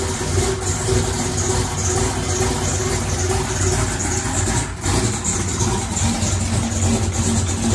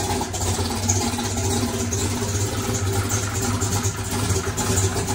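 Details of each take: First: Chevrolet single-turbo race car started after installing electric primer pump; big engine lopes at low heavy idle, timing at 22 degrees instead of about 36 — low idle from retarded ignition timing. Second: Chevrolet single-turbo race car running after electric primer pump added to mechanical fuel pump; deep, steady, lumpy note, no stumbles or pops, fuel delivery fine — normal running.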